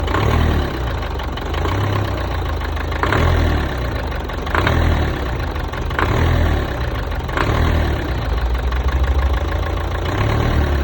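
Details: 1.5 dCi 110 diesel: revs rise and fall about every second and a half, and a sharp clacking comes through under acceleration; cause unknown.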